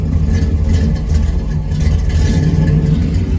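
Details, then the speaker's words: Truck (Suburban/Silverado project) with fuel pump now wired to constant power and a second harness fitted: deep loud rumble with uneven lumpy beat that never settles; still running rough, wiring ruled out, fuel pump suspected, unconfirmed. "but uh we can start it here. Um unfortunately it runs as bad as as ever."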